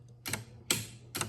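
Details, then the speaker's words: 1976 Bally Flip Flop pinball under restoration: three crisp relay clicks about half a second apart over a faint low hum as the flag mechanism's switch reports flag up or down; normal relay operation. "And so that's how it knows the flag is either up or down. You can hear that relay clicking."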